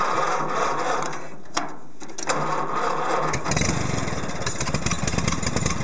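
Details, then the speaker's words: 1952 Case VAC tractor, first run after years sitting, following stuck valve, bent pushrod, electrical, throttle and choke repairs, started on ether; low, uneven lumpy chuffing with little smoke; rough running, carburetor work expected. "well I think I've got some carburetor work in the future is running and I don't see a lot of smoke coming out"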